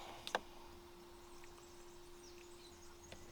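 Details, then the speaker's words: Fiat Bravo after fuel pump replacement: ignition on, a soft, steady low whir for about three seconds; the fuel pump priming normally. "So guys, I will turn on the ignition a little bit. I can hear the pump."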